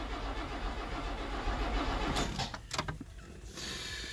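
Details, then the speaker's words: 1979 Opel Monza Series 1 barn find, rocker cover off, fuel and spark confirmed: the starter churns the engine evenly for about two seconds with no catch. Crank, no start because the ignition leads were muddled out of firing order; correcting them got it running. "could it be just somehow we've got the leads muddled around somehow let's find out yes yes it is"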